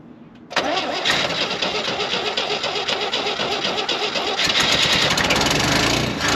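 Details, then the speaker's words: 1967 GMC with new choke cable, prepped for auction: starter grinds for seconds at about four beats a second before engine barely catches; fires then runs out of fuel, owner suspects a bad vacuum leak; hard start. "well my thing must have got turned on us she fires up soon as she fires she runs out of fuel so sure what's going on there go ahead again"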